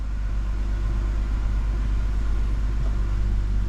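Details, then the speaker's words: 2012 Chrysler Town and Country van with idle shake, after swapping parts: deep, uneven idle rumble with a periodic lumpy stumble; scanner still shows cylinder 6 misfire. "Cylinder 6 still has a misfire, which I was afraid of."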